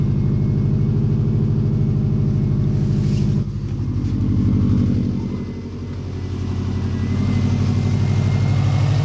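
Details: Subaru EJ205 engine just swapped in, at first start: deep, even idle rumble dips briefly with a light throttle blip and settles again, no knocks or misses; runs healthy.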